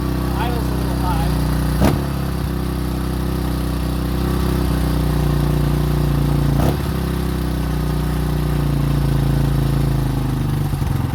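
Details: 2005 Honda CRF150F, a street-legal bike that would not start and then would not idle (a carb issue), after valve adjustment and carburetor tune-up: single-cylinder thumping at a steady idle with no misses or stumbles, the beat even, running right.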